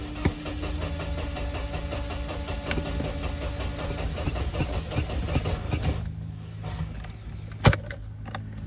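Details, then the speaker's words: 1993 Mercedes 190 with the coolant temp gauge still pegged after a new temp sensor: a long cranking drone with the foot on the gas pedal before it catches and runs unevenly. Hard start. "so as you can see there extended crank I have my foot on the fuel on the on the gas pedal"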